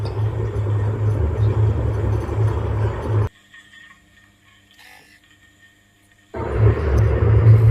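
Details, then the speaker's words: Industrial sewing machine clutch motor after a noisy centre bearing was oiled with machine oil then engine oil: it now runs smoothly with an even low hum and no bearing rattle, drops nearly silent, then runs again. "ನೋಡಿ engine oil ಹಾಕಿದ ಮೇಲೆ ತುಂಬಾ smooth ಆಗಿ run ಆಗ್ತಾ ಇದೆ"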